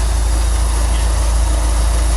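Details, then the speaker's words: Corvette idling in freezing cold on non-ethanol 91 octane fuel: steady, even low rumble with no misses, stumbles or knocks; running really good, just purring. "She's actually running really good, guys. She's just sitting here purring."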